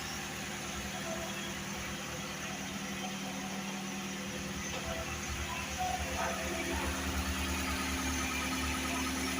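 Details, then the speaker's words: Mitsubishi TR4 after repair of "tec tec" lifter noise: new lifters fitted, clogged camshaft oil passage cleaned; smooth, even idle with steady low hum and no top-end tapping; valvetrain quiet and healthy. "Resolvido o problema da TR4. Troca de tucho, limpeza no canal de óleo."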